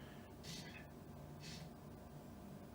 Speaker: can hear it's not making a single piece of rattling noise